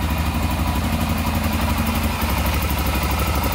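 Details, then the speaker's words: Rebuilt Honda 400EX single-cylinder ATV idling after valve adjustment and new exhaust gaskets: steady low thump, no ticking, exhaust leak gone, no smoke; normal idle. "to that engine sounds really good all right we can put the whole machine back together this thing's pretty much done"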